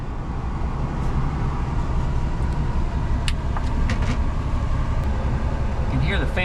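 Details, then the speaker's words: 1960 Edsel Ranger heater blower motor wired direct to the battery, switch bypassed, during heater core replacement: steady low even hum without rattles or squeals, running normally and blowing debris out of the vents. "I've got it direct wired to the battery right now and it's running of course the switch doesn't do anything cuz I'm just wired direct but it blew a bunch of crap out of the vents"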